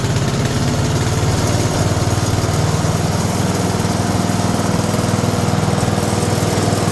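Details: Older 5 hp Briggs & Stratton single on an abandoned chipper, revived with Deep Creep on the valves. Running with the air cleaner refitted after a restart on a little choke: a steady, even, unbroken beat with no misses. Normal running.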